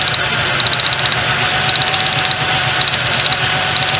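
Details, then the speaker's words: 1998 Ford Ranger 4.0L with a check engine light and a cylinder 4 misfire, idling under loud hiss during a plug-wire pull test. The uneven stumble with dropped beats is a solid miss; that cylinder is doing nothing because of a bad spark plug. "it's down a path sparkplug [Music] it's got a bad sparkplug that's something you hardly ever see on a vehicle"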